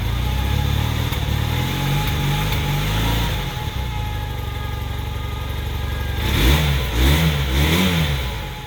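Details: 1981 Honda CM400T twin after a top-end rebuild: uneven idle with irregular stumble, throttle blips ragged and hesitant; slight engine misfire, cause unknown.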